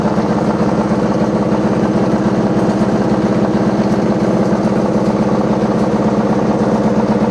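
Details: Washing machine with loud rumbling during spin: a heavy, fast rumble pulsing around two beats a second, like loose bricks tumbling in the drum; source undetermined.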